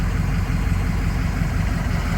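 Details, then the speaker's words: 6.0 diesel at warm idle after replacing the aftermarket IPR with an OEM IPR: low, steady clatter with an even rhythm and no stumbles or surging. IPR and ICP numbers are now proper; normal warm idle. "IPR solved my issue sounds like a dream proper numbers she's good to go for another 2,000 km hopefully with a zero on the end"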